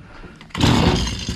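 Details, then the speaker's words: Stihl FS85 two-stroke hedge trimmer that other shops couldn't fix: old, rusty, dry spark plug found very loose; after silence engine suddenly catches and fires about a second in a rough burst. "oh man this thing's really loose this thing is super loose spark plug looks old and Rusty and dry and it's loose"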